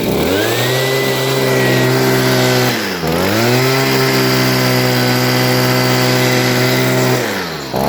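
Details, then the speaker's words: Stihl two-stroke leaf blower after cleaning a clogged spark arrestor screen that had kept it from revving to full RPM: climbs cleanly to a high steady scream, dips off throttle and recovers; runs better, possibly a tad rich. "all right well it definitely works better than what it did before uh it sounds like it might be running just a tad rich"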